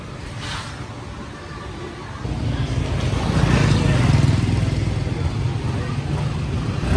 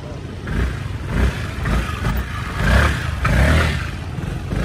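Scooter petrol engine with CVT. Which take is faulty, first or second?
second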